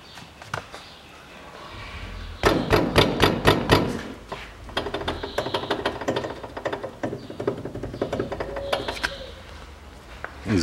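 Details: 2005 Toyota Passo, 1.0 L automatic FWD, 96,000 km, front wheel knocked with car raised: quick bursts of loose metallic rattling as caliper bracket and cylinder move on worn guide pins; goes away with light brake pedal pressure.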